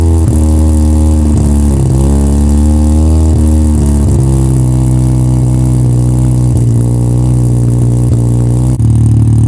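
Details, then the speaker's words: 1985 Mazda RX-7 GSL rotary, first start after new Racing Beat exhaust install, mic near exhaust: revs up and down with a loud raspy chuff; exhaust leak from a hole between pre-silencer and connecting pipe. "Well, there's a small issue. The point between the pre- silencer and the connecting pipe, there's a hole. There's an exhaust leak. You can hear it."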